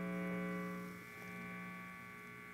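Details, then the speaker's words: Electric guitar plugged into an amp: steady low 60-cycle buzz with stacked tones that drops in level as the guitar moves around the room; pickup catching mains hum interference. "sometimes there are certain parts of the room that will be quieter than others notice how the buzzing changes as i change you know where my guitar is"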